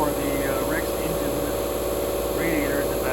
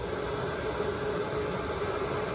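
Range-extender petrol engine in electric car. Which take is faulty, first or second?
first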